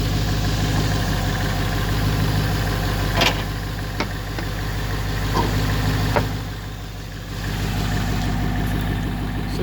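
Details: 2011 Mustang GT with 6-speed automatic at 112,000 miles, hood open, spark plugs recently changed: deep, even V8 burble at idle with a smooth steady beat and no ticks or misfires; the engine is idling healthily.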